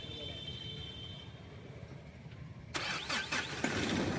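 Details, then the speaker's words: Mahindra Scorpio mHawk diesel after full engine overhaul with rebore, following blown gasket: restart catches at once and settles to an even idle, no knocking, no leaks; smooth healthy engine. "एकदम smooth है। गाड़ी में कहीं से कोई leakage भी नहीं है।"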